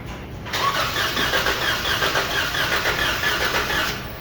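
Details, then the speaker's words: 2014 Chrysler 300 3.6 V6 compression test: about three seconds of starter cranking with a slightly uneven beat; cylinder one shows no compression, second cylinder has compression, engine judged to need replacement. "no compression you just clean the engine for the engine compression cylinder one it's not working"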